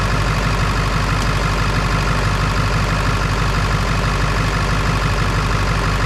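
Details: Ford 7.3 Power Stroke diesel that was cranking slowly with one battery seemingly carrying the load: smooth low rumble and regular clatter with no misses or stumbles, normal idle.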